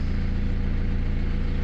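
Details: Ford E150 van, 2.8 turbo diesel, 341,000 km, started straight up after about 10 months sitting outside on a new battery: deep, even diesel clatter at steady idle, every beat alike, no misses or knocks; healthy idle.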